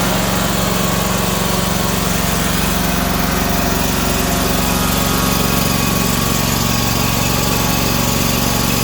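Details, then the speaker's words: Ferris 1000Z zero-turn mower after repairing loose seat switch wires that caused a no-start: small engine holds a steady, even drone at constant speed, no misses or knocks; runs cleanly. "so yeah this thing starts up runs perfectly fine the issue with this thing was just those wires going to the back of the switch here wasn't telling the unit that someone was sitting on the seat"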